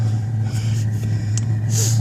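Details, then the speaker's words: Webasto Airtop 3500 12V diesel air heater, relit after going out: steady low hum with an even roar, no sputtering or surging, burning cleanly and running normally with warm air coming out. "But you can hear that burning quite well. Fired up webasto."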